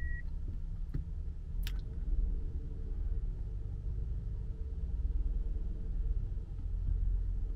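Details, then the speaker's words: Older Hyundai Grandeur TG after repair of sharp rear shelf noise, caused by the frame behind the rear seat, likely from loosened welds, with metal-on-metal friction: quiet while reversing, only low even rumble, no creaks. "됐습니다 전혀 안납니다 조용하고 날카로운 그 소리는 다 작업해 드렸습니다"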